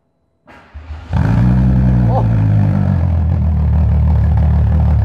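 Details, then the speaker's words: VW Golf MK2 with swapped VW R32 six-cylinder engine, swap just finished: quick crank and clean catch, then a deep, smooth, even burble at idle with steady low rumble, described as a rich purr; healthy exhaust note. "un ronroneo rico es bastante rico"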